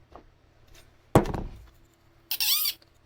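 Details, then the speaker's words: Dry ball bearing in a 3D-printed RC plane whistle/siren gives a brief chirping squeal bending up and down in pitch; bird-like sound means it needs oil (a little WD-40); parts may spin 80,000 RPM. "See how it sounds like a bird? That means you need oil when it sounds bird-like."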